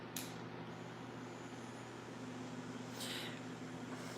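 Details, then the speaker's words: Melodysusie Scamander cordless rechargeable nail drill, 30,000 RPM, with bit reseated (pushed in and backed out slightly): faint steady high hum, no wobble or rattle, vibration much improved. Normal running. "okay feel it it's improved considerably yeah like that is not bad at all okay so yeah not bad at all i have to say"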